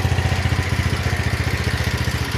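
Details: 170F single-cylinder engine after replacing crankshaft and connecting rod: steady, even low thumping about ten beats a second, no knock on top; the knock is gone. Normal running.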